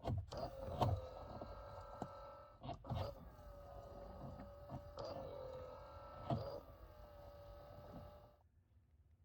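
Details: 2004 Honda Pilot after replacing the blend door actuator that caused a buzzing noise under the dash; small electric motor whirs smoothly in short runs with soft clicks as it stops and starts while climate modes are changed; normal operation.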